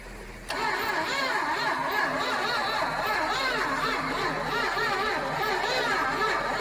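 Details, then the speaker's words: 1976 Dodge Dart barn find, stored in a barn and then sitting outside since 2015, first start attempt: starter drags the engine round slowly, about three turns a second, battery then smoking and a ground cable found loose; slow cranking. "I can't see nothing. It's not cranking fast enough."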